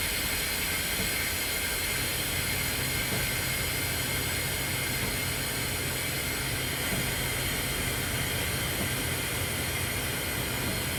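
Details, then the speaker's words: Semi trailer with missing parts, trailer brakes set: continuous loud hiss of escaping air, no engine rhythm, as the trailer suspension dumps; air brake system leaking, awaiting parts. "And I'm going to show you what it does whenever you set the trailer brakes."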